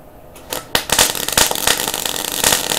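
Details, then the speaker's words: MIG welder popping and spitting, "bang bang bang" felt through the gun, with wire speed and voltage each set about halfway; wire feed speed too high gives a lumpy weld sitting on top without penetrating; fix is backing wire speed off. "you can actually feel it going bang bang bang bang bang bang bang with a gun like it's popping and it's spitting"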